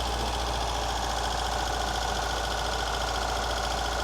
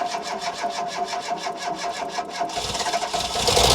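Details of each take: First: Ford Fiesta XR2i barn find off the road 14 years, first start, cold, plenty of compression: steady idle with lumpy uneven beat, one cylinder dropping out; misfire at idle, cause unconfirmed. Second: Ford Fiesta XR2i barn find off the road 14 years, previously ran before fuel pump failed: fast even cranking about 3.5 pulses a second, fires straight up into a rough roar; first start after long storage.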